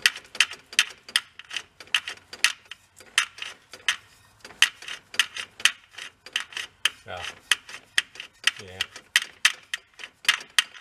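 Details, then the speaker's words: 1997 Dodge pickup transfer case, front driveshaft turned by hand: sharp light ticks about twice a second as something touches the case bottom; owner was warned the transfer case chain is cooked, unsure whether gears are damaged too. "I'm gonna turn the front drive shaft you can hear it touching the bottom of the case"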